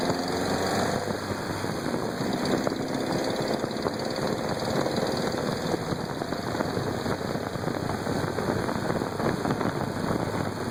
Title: Knocking sound